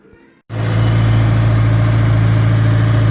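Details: 2004 Honda S2000 after rod bearing replacement through the oil pan, jump-started after a flat battery: catches cleanly and settles into a smooth, even idle with a steady low hum and no rod knock: normal idle.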